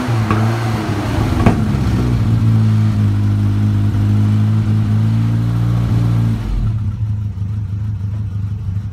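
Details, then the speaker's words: 1964 Mk1 Mini with a geared starter, not started in a few weeks. The engine catches with wavering low tones that rise and sag before dropping off. It runs rough from cold, and the cold-start issue was never sorted. "Never did sort out the cold start either."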